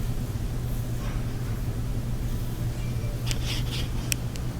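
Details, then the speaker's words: Electrolux dryer after repair for a loud rumbling noise, lint buildup cleaned from the blower wheel: low steady hum with no rumble, thumping or scraping; runs smooth and normal. "so we tested it afterward it sounded really good it nice and smooth"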